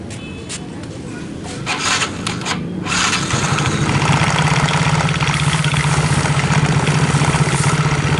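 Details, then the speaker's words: Yamaha X-Ride scooter at idle: steady low drone with a rough knocking churn from the CVT, rear wheel turning without throttle. "Oke teman-teman, jadi penyakitnya seperti ini. Suaranya pun godok-godok seperti itu di bagian CVT."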